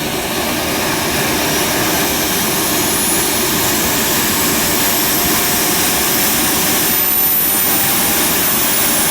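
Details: JetCat RC jet turbine after repair of its starter clutch, worn bearings and deformed NGV touching the turbine blades; auto-start completes and it idles with a smooth, steady high-pitched roar, combustion temperature under 500 degrees: a normal run.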